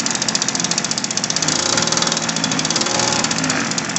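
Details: Windjammer gas bicycle engine after carburetor repair and new fuel line, started on choke with a frozen throttle cable: rapid raspy two-stroke buzz with even firing at a steady fast idle; running normally.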